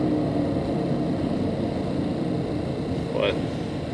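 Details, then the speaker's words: Extreme failed wheel hub bearing, likely run thousands of miles: steady heavy low roar while driving, like an airplane drone, getting louder the faster you go; hub needs replacing before it fails. "what an extremely bad wheel bearing might sound like as you're driving your vehicle kind of sounds like an airplane faster you go this is an extreme case of a bad wheel bearing"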